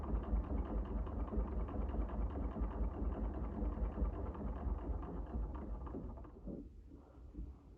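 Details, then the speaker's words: Singer 99 sewing machine with size 14 needle sewing a hem through three layers of canvas: even, quick mechanical chatter at about two and a half stitches a second, no labouring or thumping. Handles the heavy canvas fine. "So let's layer it up, and we'll sew a hem. So that's 3 layers of this canvas, no problem at all. That's a size 14 needle."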